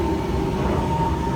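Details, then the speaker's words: Jandy JXI400 pool heater that was not heating, just after a Jandy power interface universal controller replaced its control: steady, even roar with a faint constant hum, no popping, surging or cutting out; the burner fires and heats normally. "And we're working, we're heating."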